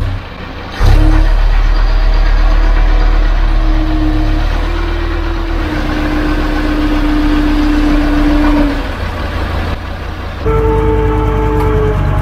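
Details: 12-ton six-wheel diesel grader after a new drive chain, repairs and hydraulic oil brought to the right level: it cranks, catches and settles into a steady low idle with a slight rising whine, with no knocks or misses. Normal start and idle.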